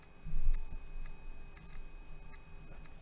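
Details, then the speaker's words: 4th-gen iPod Classic during restoration and flash mod: faint, sharp ticks at irregular, roughly half-second spacing with a high-pitched whine over a quiet room while the player works; cause unknown. "still clicking it's really high pitched wine too"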